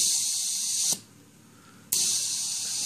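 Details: Homebuilt ROV ballast system run by an Arduino Mega through a relay board and a PlayStation 2 controller, on the release-pressure command: crisp high hiss for about a second, a quiet gap, then another burst. Solenoid venting air normally.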